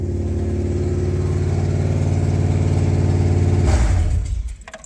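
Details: 1998 Subaru Impreza after manual swap to 2005 Legacy 5-speed, first start in neutral: catches and settles into an even steady idle beat before shutting off. Normal start and idle.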